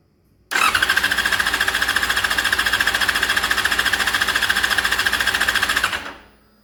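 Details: Yamaha FZ6 during spark test: starter spins the engine steadily for about five seconds but it never catches; cranks with no start.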